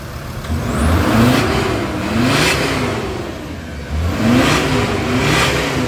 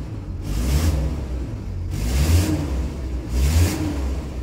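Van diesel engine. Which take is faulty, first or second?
second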